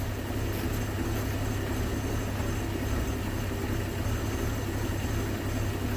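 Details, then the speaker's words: 1981 Ford Mustang, 200 inline-six, carburetor after T5 manual swap; cold idle screw turned in from about 650 RPM, vacuum leaks fixed. Low steady idle rumble, even beat, no stumbling or hunting; proper cold fast idle, not yet warmed up. "Yeah, okay. It's about okay right there. And I just hope that once this thing is warmed up, then I can take it for a bit of a cruise."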